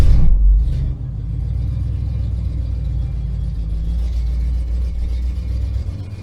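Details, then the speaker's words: 1977 Ford F-250 Custom, 351M V8, C6 automatic, 2WD, cold start after sitting a long while: brief burst as it catches, then low slightly uneven rumbling idle, still rough while cold; owner expects it to smooth out once warmed up. "As you can hear, a little cranky. First wakes up. So, give him a minute, warm up, and should be good to go."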